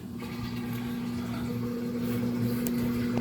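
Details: Samsung washer with 5E drain code, spin-only cycle after refilling: steady, smooth motor hum with a constant low drone, no knocking or grinding; drum spins and drains normally, leftover puddle only at back of tub.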